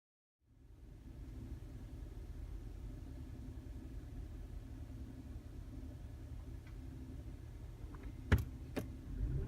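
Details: 2012 Mazda CX-5 petrol engine after cleaning carbon-clogged cylinder 4 injector that caused misfire code: steady even low idle rumble, no stumble or misfire, two sharp clicks at end. Normal idle after repair.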